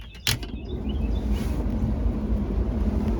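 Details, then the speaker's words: 1986 Ford F350 6.9 IDI diesel, key on, after replacing a blown fuse in the heater blower circuit with a 20 A (spec 30 A): even, steady rush of air with low smooth hum, no squeal or rattle; blower working normally. "we have blower again and it's blowing pretty good"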